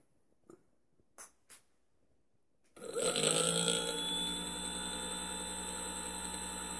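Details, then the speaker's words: Currie Electro Drive e-bike hub motor, rebuilt after 3 of 4 rotor magnets detached and caused a horrible noise, run at no load on the controller in learn mode: spins up quickly and holds a smooth steady whine with no scraping or knocking. "well that sounds a lot better than it did before"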